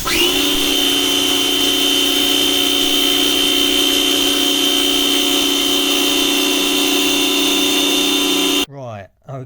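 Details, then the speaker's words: Draper pressure washer after welding pinion back onto motor shaft: motor spins to steady high unloaded whine with no pump labouring; weld failed, too shallow, pinion loose on shaft. "Set back again. The weld did not hold. Uh the weld didn't penetrate deep enough."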